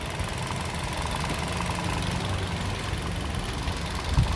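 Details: Toyota Yaris engine idling after its PCV valve is cleaned with carburettor cleaner and refitted; a clogged PCV can cause unstable or dropping RPM; quiet, steady hum, even pulse, no hunting or misfire; normal idle.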